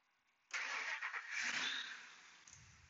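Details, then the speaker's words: 2003 Ford F150 Harley-Davidson 5.4L supercharged with long-crank problem: with the PCM warmed, barely any cranking before it starts instantly and settles toward idle, pointing to a heat-sensitive failing PCM. "instantly starting turn it off now I'm going to see what the temperature because right now it's still warm"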